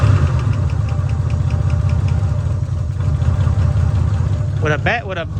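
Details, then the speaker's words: Long-abandoned 1986 Nissan Maxima wagon, 3.0 V6, idling with a serious fuel leak, nearly out of gas, zero oil pressure shown: low, lumpy, uneven idle that never settles; rough running blamed on the fuel leak. "fuel leak a fuel pump in the trash can almost out of gas yeah bat fuel leak that's why it's running so bad"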